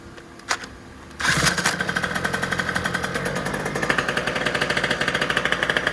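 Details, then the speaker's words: 70cc two-stroke scooter on race gas, started with a drill, total-loss battery: fires after a couple of cranks into a fast, crisp, evenly spaced popping buzz, like a nasty little chainsaw. Normal running. "And it sounds pretty wild. It sounds like a pretty nasty little chainsaw, but you know, it's only 70 cc's"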